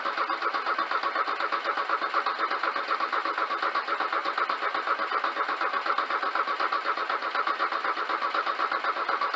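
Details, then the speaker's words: Porsche 924 after fuel filter replacement, fuel line empty: steady starter churn at about four beats a second without catching, cranking to build fuel pressure and prime; it later fires once air is purged. "line is empty so we don't expect anything to happen when we go to crank it but we're going to try cranking it over to get fuel PR again going to crank it over to get fuel pressure and get the prime going"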